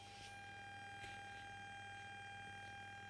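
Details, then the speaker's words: Construction-site radio with an added MH-M18 Bluetooth module, volume at full: a thin, constant high whistle over faint background, heard even at lower volume; suspected to be the module's quality; amplifier whistle. "sifflement et donc moi je l'entends même à des volumes plus faibles voilà donc ça ça doit juste être la qualité du module qui veut ça"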